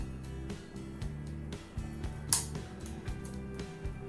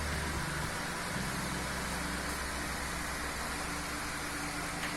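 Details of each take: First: Chinese floor fan switched on at first speed: steady low buzzing hum with light clicks, blade not turning; turns when spun by hand, so owner attributes it to clogging needing disassembly and cleaning. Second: Chinese floor fan after repair, reassembled, a fan that had hummed but would not turn: steady airy rush over a constant low motor hum, no knocking, scraping or wobble; fan runs smoothly, oscillation does not work.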